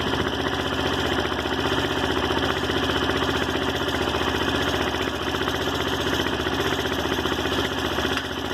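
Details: Daelim Roadwin single-cylinder idling with a fairly even beat around three per second and a busy clatter over it; abnormal engine noise, cause unclear.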